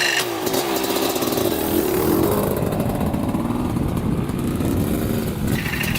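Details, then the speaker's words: 1995 Kawasaki KX250 two-stroke, first start after sitting, fresh oil and cleaned carburetor: uneven idle with rough gritty grinding buzz when clutch lever held in; owner suspects a clutch problem, cause unknown. "hmm all right guys so there's a definite grinding going on you can kind of hear it so when i'm holding in the clutch it makes like a buzzing sound"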